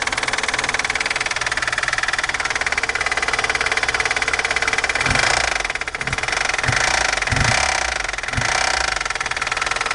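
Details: VAZ 2109 (Lada Samara) engine: fast even ticking at idle, then heavy uneven knocks as revs rise and fall. Loud internal engine knock, source undetermined.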